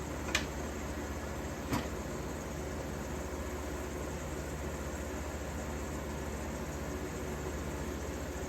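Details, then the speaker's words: 1953 Fedders Weather Bureau window air conditioner, Tecumseh compressor, believed about 4,000–5,000 BTU, drawing about 475 watts, blowing about 40 degrees: steady low even hum with soft airflow and a couple of faint early clicks; runs smoothly and quietly. "So that thing just sounds amazing. Who the hell would throw something like this away?"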